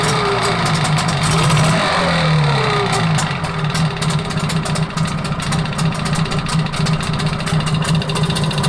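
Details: Engine idling with a steady light tapping over it; engine knock of unknown source and cause.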